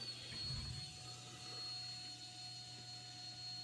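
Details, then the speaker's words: 2001 Harley-Davidson Road King Special that won't start: faint steady electric hum of the fuel pump running continuously on a makeshift ground after a lost ground was found at the plug, relay swapped with no change; pump never cuts off. "that's the fuel pump kicking on problem is it doesn't kick off and it's obviously getting fuel but not starting"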